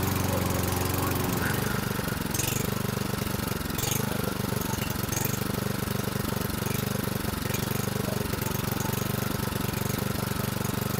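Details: 2011 Toro Recycler 20376 single-cylinder mower after blade brake cable replacement, before idle-spring tab adjustment, little gas in tank; low, slightly wavering uneven thump; idle too slow and fluctuating, carburetion suspected, Seafoam planned.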